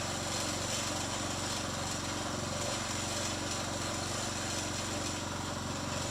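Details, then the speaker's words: Briggs & Stratton 3.5hp front-tine tiller after carburetor diaphragm replacement: the small single-cylinder engine holds a steady, even putter with no surging or stumbling, so it is running normally. "sounds like we're ready to go"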